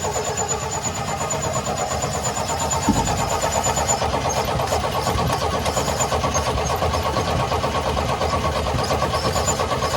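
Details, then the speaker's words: 1972 Chevy C10 revival, after blowing air through the blocked carburetor and hearing a plug break loose: engine catches and holds a steady, slightly uneven idle on its own; accelerator pump suspected bad, vacuum leak from unplugged line. "There, it's running on its own now. It's running on its own, but I bet you the accelerator pump is probably bad."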